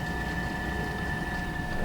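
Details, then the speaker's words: ALDE hydronic RV heater after fault cleared: steady fan hum with two fixed tones over low burner rumble, no surging or rattle; burner confirmed lit, owner suspects fan had been stuck and came unstuck. "I told you I heard it click, and I thought it just faulted out because now we have this on the screen, and then I can hear the fan,"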